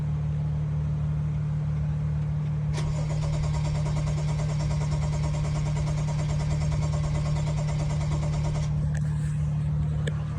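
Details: BMW crank no-start, load device back-probed on the fuel pump, which never lights: steady cranking at about three turns a second that never fires; fuel pump control module submerged in water, connectors severely corroded, no fuel pressure.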